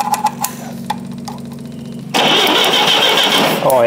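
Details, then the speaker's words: Repaired forklift engine cranking about three and a half beats a second, then catching after a jump start and settling into a bright steady run; normal start with brand-new ignition points installed, spark restored. "she just needed a bit of a jump start just need need a bit of a morsky flick in there there you go brand new points"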